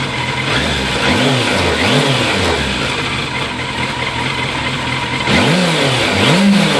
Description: A video of my 2001 fzs600 idling / hunting. Frustrating.